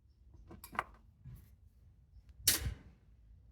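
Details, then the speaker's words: Older Maytag washer started on rinse and spin with the door held open by an added part: a few sharp isolated clicks in a quiet room as the cycle starts; normal door-lock clicking, nothing to worry about. "now we hear the clicking sound, but we don't have to worry about that because we can now keep the door open because we have this part here."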